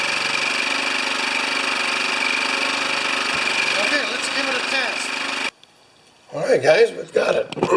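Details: Older Honda EX1000 generator that had only run on choke, now running on fresh gas after governor arm and spring work. It holds a steady, even speed with no surging or stumbling, then shuts off. Unloaded, it doesn't drop back to idle.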